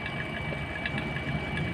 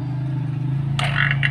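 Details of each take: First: Vacuum pump evacuating a refrigerator: steady drone with light irregular gurgling crackle as residual air is pulled from evaporator and condenser; gurgling persisting would indicate a leak. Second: Vacuum pump evacuating a refrigerator, running on after reopening: an even low hum with no sputter or gurgle, a brief handling rattle partway; the sound stays unchanged, so no leak, fridge declared normal.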